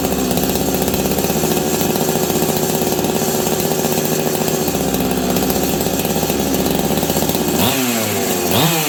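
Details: Husqvarna 385 chainsaw, sat on a shelf for years, first start: it screams at a steady high rev for about seven seconds, then drops and blips back up, racing. The clutch expanded and grabbed the chain brake. Owner suspects a lean air leak.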